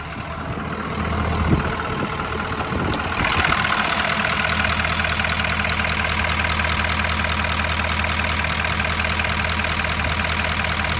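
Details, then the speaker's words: Compound-turbo 6.7 Powerstroke diesel with code P0016 (crank/cam position correlation), owner fears main gear spun: uneven lumpy idle clatter about 2.5 pulses per second; owner suspects injectors, unsure. "it sounds injectory to me but i i'm bad at this kind of stuff so i don't know"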